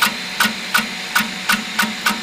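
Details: Piocreat G5 pellet extruder 3D printer at speed 200 with a large layer height; sharp loud clacks about three times a second over a quiet drive hum; extruder stepper skipping and stalling, stops once slowed to 150.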